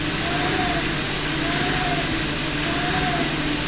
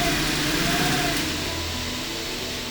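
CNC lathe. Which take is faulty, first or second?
first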